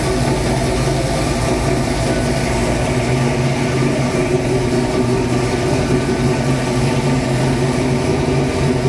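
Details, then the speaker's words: 1966 Mustang Fastback, new 347 stroker V8 just after first start; even, steady rumble, no misses, held at raised idle speed, owner says carb idle screws need adjusting; fast idle. "I guess I gotta I gotta adjust the the throttle or the uh the idle screws to make that so that aisles where I want but uh it's a good sign"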